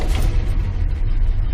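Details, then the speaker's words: Big-block V8 car, first start since purchase the day before after pumping the gas three times, cold: deep steady rumble settling into even idle, no misses or knocks; wind noise outdoors; normal cold start and idle. "that just blows me away this whole big block runs awesome I'm gonna let it run a minute and warm up"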